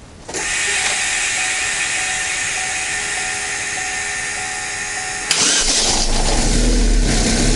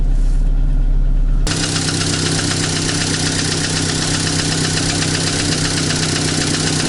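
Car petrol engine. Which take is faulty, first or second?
second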